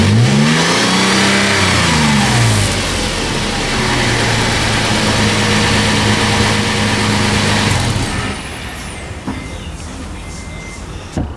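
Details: Toyota FJ Cruiser on a test drive after swapping the rusted OEM exhaust for a new MagnaFlow 16649 cat-back (2.5-inch stainless, mandrel-bent): deep, clean note rising and falling with each throttle blip, settling smoothly with no drone or rasp; sounds robust.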